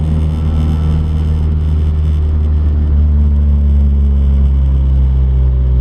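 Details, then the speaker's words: Car test-driven after reinstalling a part to cure a bogging issue under full throttle: smooth even pull with steady low drone, no hesitation or misfire under acceleration; idle afterwards holds around 850 rpm. "we're just giving this car a little test drive everything seems good uh there's no hesitation so far"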